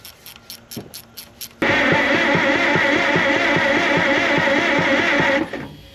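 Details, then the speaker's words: Farmall M narrow-front tractor after head and M&W clutch assembly, first run in many years: even starter whir with regular compression pulses about twice a second, turning over freely with no binding: normal cranking. "Sounds good. Cranking it over at least."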